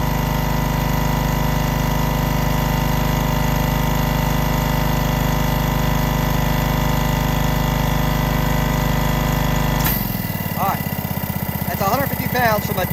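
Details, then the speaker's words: Honda-engined hookah diving air compressor, started cold, running held wide open, then bled down until it kicks off. Steady smooth drone; about 10 seconds in the note drops and settles, still clean and healthy. "i'll bleed it down just to where it needs enough to kick off you can hear it i mean it takes a long time this is holding it wide open this will supply two to three divers no problem"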